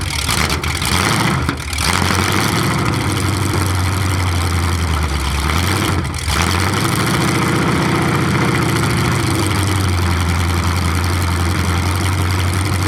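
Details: 427 big-block Chevy V8 on an engine run stand, first fire after a very long time unrun, distributor timing just adjusted: deep steady burble swelling smoothly on blips and settling to even idle; healthy.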